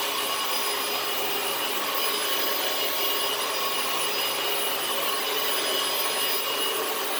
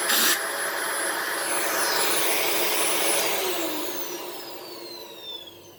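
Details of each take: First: Dyson DC18 Slim All Floors vacuum, made December 2006: steady high airy roar with constant motor tone after the brushes were refitted and the reset button pressed; the brushroll spins again and it runs normally. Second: Dyson DC18 Slim All Floors upright vacuum, manufactured December 2006: a thin, high, steady whistle over the motor roar, with pitch sliding down as the motor spins off. Owner suspects cat litter plugging the cyclone shroud holes rather than the motor; unconfirmed.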